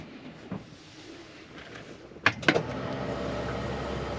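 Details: Argo Avenger EFI after new fuel pump and filter, fuel system shield refitted, final test from the front: a couple of clunks as key cycles, then steady low hum; fuel pump priming normally.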